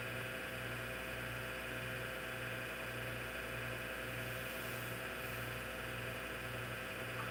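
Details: Old IBM PC/AT hard drive, damaged in shipping, label shows no defects: steady loud hum and hiss with low throb about twice a second, seek clicks buried beneath; spindle motor bearings noisy enough to mask head movements.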